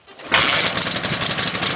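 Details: Dnepr motorcycle, cold start after a six-count carburetor tickle, ignition on, throttle slightly open, kicked over: catches at once into a quick, even pulsing idle, no misses or knocks; clean cold start.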